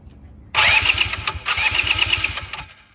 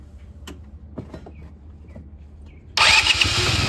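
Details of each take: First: 2010 Polaris Ranger RZR 170 that sat for years, after new fuel pump and long cranking to prime fuel: starter whirs briefly, then the small engine catches and runs at a quick even idle; normal start. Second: Neglected 2010 Polaris Ranger RZR 170 after sitting for years, newly installed aftermarket fuel pump: four cranking bursts, starter churns evenly but engine never catches, sounds like no fuel; fuel system not yet primed, later started after extended cranking.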